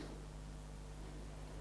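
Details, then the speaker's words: Boya BY-M1 microphone on external power supply, silent room: constant soft hiss or static with a low steady hum underneath, noise from the mic and power setup. "in the background now you can probably hear a hissing or like a static sound. I'm not 100% sure how to describe that"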